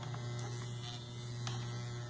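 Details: Wahl Keep hair clipper, noisy after long use, runs with a harsh steady buzz and sharp rattling ticks over the hum; a worn, loose internal part is rattling.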